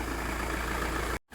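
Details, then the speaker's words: Mk6 Ford Transit Luton van that stalled at idle, after repair; five minutes idling without stalling, steady even smooth low rumble, no hunting or stumbling: normal idle, fixed. "right it's been 5 minutes of idling it's definitely working it's on"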